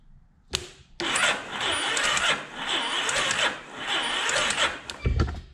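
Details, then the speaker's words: 2009 Yamaha Raptor 350 starter fed directly from battery, bypassing wiring: uneven, labouring crank with whirring starter and lumpy rhythm about four seconds; spark plug shows oil burning, engine needs top end. "All right, that did not sound very good."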